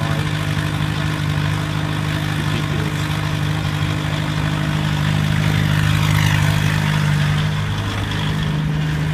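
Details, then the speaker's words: 1991 VW Jetta turbo diesel, head retorqued, new battery and starter, just started cold after hard start, slight rev brings alternator on: steady low diesel rumble with even beat, no knocking or misses; normal diesel idle. "so I rev it up just a little bit then the alternator kicks on and everything comes on through"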